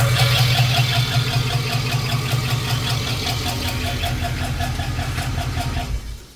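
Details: 5.3 LS V8 swap built with cheap eBay lifters, idling after an over-rev: a steady bottom-end knock plus a lighter top-end tick. Finding: rod knock from a spun bearing and lifter failure, both caused by cheap lifters and trays.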